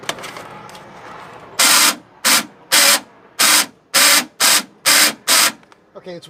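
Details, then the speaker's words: Chevy Astro van, new passenger door lock actuator tested with key fob: eight harsh buzzing bursts, roughly two a second, a relay-like chatter coming from inside the door as the locks cycle; actuator works but the noise is unexplained. "okay it's working but the noise is crazy and the noise is coming from this thing that's up in here wow it's like a relay"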